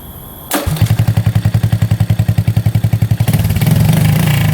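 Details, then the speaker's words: 1985 Honda ATC200S three-wheeler, not run in over a year, restarted with no smoke: an even single-cylinder idle that picks up cleanly and holds a higher rev without stumbling. Healthy revving. "Yeah, that sounds pretty darn good. I'm pretty happy with that."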